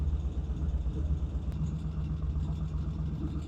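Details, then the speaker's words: 1975 Norton twin: low, soft, steady idle at about 800–900 rpm with no hunting or surging, after fixing undersized throttle cables from the splitter that held the carburetor slides up; smoke noted afterward. "Well, I finally got a good idle. Turned out that the throttle cables coming from the splitter to the carburetors were just too small, and they were holding the slides up, so no matter what I was doing, it's pretty well being ignored. That's a nice 800, 900 RPM right there."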